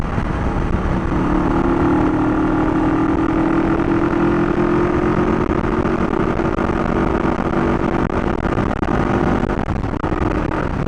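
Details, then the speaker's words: 1971 Honda CB350 barn find, kick-started on a weak battery: the twin idles with a steady beat but the speed drifts up and down after being set. Idle is hunting; owner will fit a good battery before adjusting further, cause unconfirmed. "so it's running pretty good except for the fact that the idle's all over the place you set the idle and it's up and it's down"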